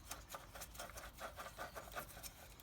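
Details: Peugeot 107 / Toyota Aygo / Citroen C1 (1KR-FE) water pump turned by hand after removal of drive belt: uneven gritty rasping bursts, no smooth spin; worn bearing, pump noisy before belt failed, replaced.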